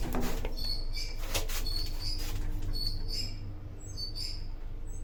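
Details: 1970s traction lift, possibly Falconi, in Chioggia, Italy (7 stops, 325 kg/4 persons, 0.7 m/s), recorded in the car while travelling: intermittent high-pitched squeals and chirps recurring over a low rumble. Screeching during travel, cause unclear.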